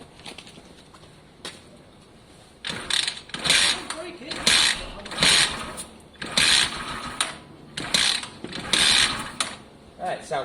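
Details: Seized Chinese GY6-type engine, freed and given fresh oil, spark and working carb confirmed, kicked without choke or throttle: eight or so kick bursts of clattering ratchet and turning noise; turns over but never catches.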